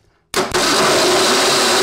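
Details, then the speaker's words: Classic Ford (dentside truck or early Bronco) project on jack stands, first start attempt with coil powered: starter cuts in with a harsh buzzy grind over a steady whir; owner suspects a dead spot on the flywheel and feels it every time. "oh I got to turn that crank again there's a dead spot on that flywheel all right let's see what we can do here yeah I can feel it every time that's what that grindy sound is"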